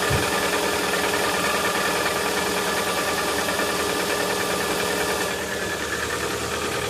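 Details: Lada Vesta started cold at sub-zero temperature: busy cold idle with a fairly regular light knocking, about 2–3 per second, riding over the engine noise; cause not yet pinned down.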